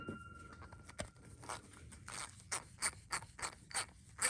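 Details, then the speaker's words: Stanley ratchet (T9 Torx screws) after disassembly and lubing, previously run with little to no lube: soft light even clicking at a few clicks per second with no gritty scrape; much quieter, pawl running smoothly. "Much quieter."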